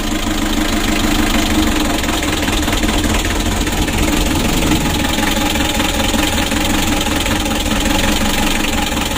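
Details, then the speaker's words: Mitsubishi L300 diesel, hot idle after a long, hard start: loud, uneven rough clatter with shaking and a constant rush, rough when revved. Heavy blow-by and compression leaking into the radiator, consistent with worn rings. "ini ya mesinnya bergetar teman-teman ya kalau masih dingin tadi mesinnya ya Luar biasa Coba kita gas mesinnya serasa kasar suaranya kasar teman-teman"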